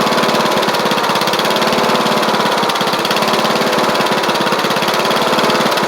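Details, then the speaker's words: Troy-Bilt Bronco riding mower with a Kohler Courage single-cylinder engine, carburetor jet slightly drilled out, driving down the driveway. A fast putter at steady speed wavers with occasional hesitation: a mild running stumble whose cause is not yet found. "than good as long as I can get that stumble figured out right there if I can just get that one little stumble figured out I think we'll be okay"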